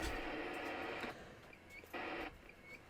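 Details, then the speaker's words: CB radio after replacing the faulty audio IC: clear hiss and receiver audio cutting in and out in even bursts from the speaker, loud and undistorted; audio stage now working properly. "And the audio fault was the audio IC. Dropped another one in."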